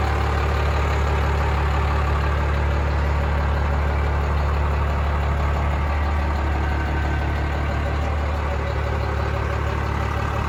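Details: 1996 Dodge Ram 3500 dually 4x4 with a 5.9 Cummins 12-valve diesel, five-speed manual and 78k miles, just started: steady deep diesel idle with an even low rumble and no knocks or misses; healthy.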